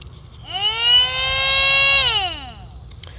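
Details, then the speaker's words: Bench test of a Bosch 0 392 023 004 centrifugal electric water pump for an MBK 51 moped, battery plus on pin 1 and minus on pin 2, checking flow direction. Clean whine rises, holds about 1.5 s, winds down smoothly; motor spins freely and runs normally. "Et donc du coup, quand je le branche, déjà on l'entend le moteur."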